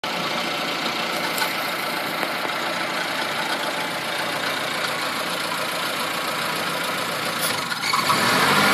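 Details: Mazda 323 idles with an uneven, stumbling beat of about four per second under a hissy top end; a misfire caused by the engine sucking in unmetered air.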